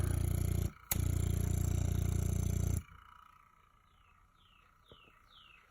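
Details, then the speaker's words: Vintage Frigidaire Meter Miser fridge compressor, probably 1960s–70s, first start in 20–30 years after sitting on a porch, drawing 2.1 amps: heavy low hum with coarse buzz, briefly dropping out, running about two seconds then cutting off; pumping but rough. "suction is a pretty rough shape highside so it's it's actually pumping"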